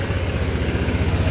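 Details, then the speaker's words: Honda Airblade 160 (26 km) with a new JVT racing pulley, idling after the side crankcase cover is refitted to check it stays quiet: a low steady drone with an even pulse, no rattle or whine; quiet, healthy idle. "Nakakabit na natin, paandarin natin, tingnan na natin kung tahimik kasi baka umingay pag nakakabit yung panggilid, yung crankcase."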